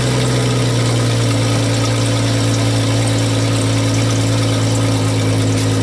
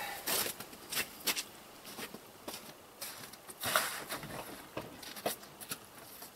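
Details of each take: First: Jeep with exhaust pipe broken in half, two O2 sensors on the pipe, engine just started cold: loud raspy idle with a deep drone and puffing rasp from the broken exhaust; patched with a soup can and hose clamps. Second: Jeep after an emergency exhaust repair, broken pipe patched with a soup can and two hose clamps: engine cranks, catches and settles into a steady, even idle with a healthy exhaust note, as before it broke.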